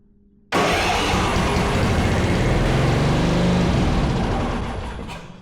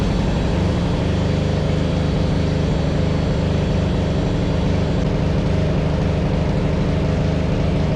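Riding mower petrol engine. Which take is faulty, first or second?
first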